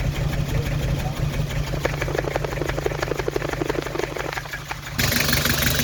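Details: Nissan TD27 diesel shaking and smoking at idle: lumpy beat, about three heavy pulses a second over the clatter; cracking injector pipes one at a time, smoke stops only at cylinder four, so cylinder four is misfiring.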